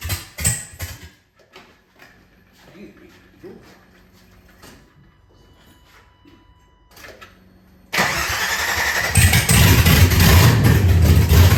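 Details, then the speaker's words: LS engine swap in an SS 454 tribute truck, first start after removing the engine to swap a wrongly fitted intake manifold. Slow rhythmic cranking, then V8 catches cleanly and settles into steady, even run: normal start and idle. "I'm going to connect the battery, put the jump pack on it, cycle the key a few times, get some fuel pressure up, and we will fire it up."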